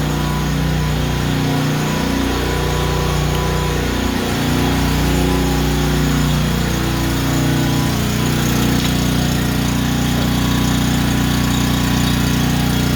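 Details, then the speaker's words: Honda generator after a no-start tune-up (carburetor cleaned, oil changed, fresh gas), first start with choke on: steady, even single-cylinder hum holding constant speed without hunting; normal idle, runs perfect. "idling perfect. That right there. Quality. Just runs perfect."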